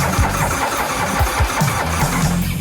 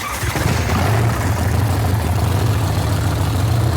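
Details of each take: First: Hot-rod V-twin custom bike, first fire-up after build with fresh gas: starter cranks in uneven bursts but it never catches; crew suspects flooding. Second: Hot-rod V-twin custom bike, first start after build, after swapping the experimental mag cap for a proven one: catches and settles into a deep, steady rumble with a slight blip; runs properly.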